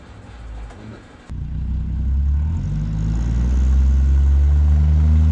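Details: 1975 Plymouth Duster Slant 6 after carburetor cleaning/rebuild and temporary exhaust with cherry bomb style muffler: short crank, fires and settles into a deep, even rumble with no misses; normal running exhaust note.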